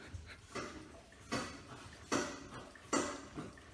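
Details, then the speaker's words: Toyota Solara: creaking with sharp pops and clicks about once a second as suspension rises, earlier heard only over bumps; mechanic points to worn struts/shocks causing the suspension clicking. "hear that that clicking noise so that was happening alright so I was like okay it's probably the struts of the shock that's not going to be the cheapest thing in the world"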